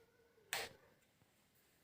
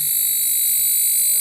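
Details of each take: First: Chinese CRT TV after fitting a new 1802 transistor: brief rushing "kurr" burst at switch-on, then near silence with no transformer whine or buzz; powers up normally. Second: Chinese CRT TV chassis kit at power-on: loud, steady, piercing high-pitched flyback transformer whine with faint higher tones; the 1802 input transistor would heat and blow if left running about 10 minutes.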